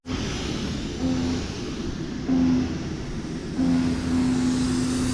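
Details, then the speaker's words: Paint sprayer pump surging: low whine cutting in and out about every second as the owner says the spray tip is plugged up again, choking the flow. "I don't know, I think my tip's getting plugged up again. Actually, I know that's what's happening, is my tip is plugged up again."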